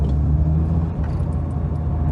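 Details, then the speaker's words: MK2 VW Scirocco that failed its MOT on emissions while running on 3 cylinders with mangled, oily plugs, now after an old-fashioned water decoke. Steady, even low rumble with no stumble or miss. Normal running on all cylinders. "much better. Much better. Thank God for that. I was worried we were going to have another top end rebuild on our hands."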